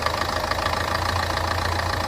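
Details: Ford Fiesta petrol engine started after replacing a failed AC compressor bearing, with clutch and belt refitted: idles smoothly with a steady low hum, no grinding or whirring from the belt drive.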